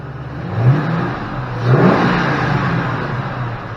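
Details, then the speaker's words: 2005 Ford Mustang GT after installing a new Ford factory sensor: steady even idle with two clean throttle blips; fuel pressure about 33 psi, within 33–35 spec; healthy running. "installed sounds pretty good fuel pressure looks good within specs 33 to 35 i think is factory spec we're running about 33."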